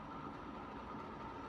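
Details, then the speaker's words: Brown 36-inch Moss Caribbean Breeze ceiling fan on medium-low, a rough fan possibly destined for garage use or a bearing replacement, runs with a steady hum and a gritty rumble; good air mover but noticeably noisy worn motor bearings. "great air mover though as you can hear the bearings are quite noisy"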